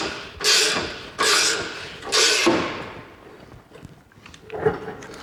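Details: Race car suspension compressed by hand under heavy force: three harsh, scraping crunches about a second apart, then a fainter one. The coil spring is binding, sitting offset in its cup because the weight jack bolt is misaligned.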